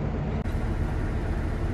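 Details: Free 1972 Barth RV started on 10-year-old gas from a full tank and left warming up: a low, steady rumble at an even idle with no misses, knocks or surging. Normal idle.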